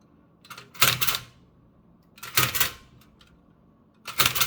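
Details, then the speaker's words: Restored Toshiba BW-3112 Japanese kanji typewriter after final adjustments: three crisp mechanical strikes about 1.5 seconds apart, now typing English smoothly; slight page crackling from backing sheet bonding. "But most importantly is that now it's pretty easy to type in English smoothly."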